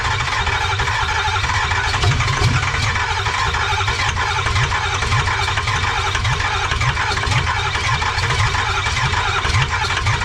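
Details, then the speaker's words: 2005 Ford F-250 converted from gas to a 6.0 Powerstroke diesel, after swapping the FICM: starter cranks in steady even chug for ten seconds, engine never fires; compression test next; crank no start. "The new ficum did not work. So the next step we're gonna go ahead and do is gonna go ahead and do a compression test and see what kind of compression we have."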